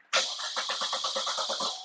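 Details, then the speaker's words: 2014 Chevrolet Cruze LT 1.4L turbo with intermittent stalling and no codes, fuel pressure good: steady starter cranking with even compression pulses, about six per second, never catches even on starting spray; crank no-start from apparent loss of ignition control. "all right she is still I crank no start her a little little Huffy Huffy maybe put they stuck up in there give her a little little something to Puff on nothing crank it again so we've got a loss of ignition control it seems"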